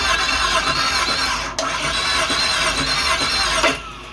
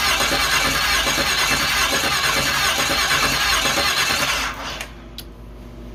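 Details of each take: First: 5.3 LS from a Suburban swapped into a promod rock crawler, cranked dry with coil packs and fuel pump disconnected to prime oil pressure: a sharp squealing whine over the starter spin; starter suspected to need a spacer. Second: 5.3 L LS V8 from a Suburban swapped into a pro-mod rock crawler with custom stock manifolds and Canton pan, first start; cranks, catches, runs loud briefly then settles into a quiet, even idle, no knocks or misses.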